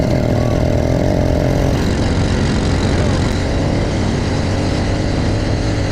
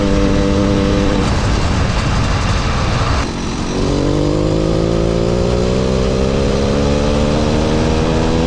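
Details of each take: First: New, not yet broken-in motorized bicycle two-stroke engine, stock carb and exhaust, test ride; raspy buzz under load with no real pull; owner suspects internal timing problem; poor running, low power. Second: Mildly ported motorized bicycle two-stroke engine, stock carb and exhaust, riding; buzz climbs smoothly in pitch as it pulls away, clean, quiet, no misfire; normal running.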